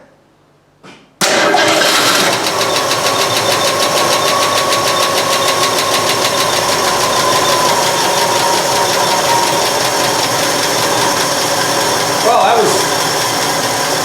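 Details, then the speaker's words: 1965 Mustang first started after sitting 15+ years in a garage: a quick catch, then a light, fast ticking over a steady idle because the oil hadn't come up yet. The carburetor is dripping and needs a rebuild. Lifter tick. "yep it had a little lifter but we didn't even let the oil get up"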